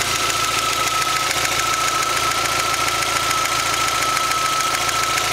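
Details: Rover MG ZR 1.4 16V at hot idle: fast light tapping, a bit over two per second, with a faint whine; fine when cold, disappears about a minute after air conditioning turns on, returns when off; cause unknown.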